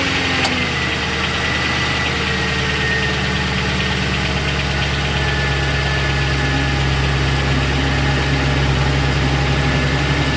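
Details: 2001 Lincoln Town Car, Ford 4.6L 2-valve V8, cold idle: fast loose metallic rattle over engine hum; timing chain had worn through plastic and aluminum guides into tensioner piston; guides, tensioner and valve stem seals replaced.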